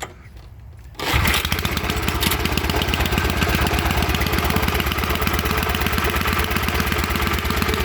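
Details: Wheel Horse garden tractor "Buster" with 8-inch rims and agricultural tires, started out of gear: a second of quiet, then it fires straight up and settles into a steady, even putter with no missing beats; runs fine.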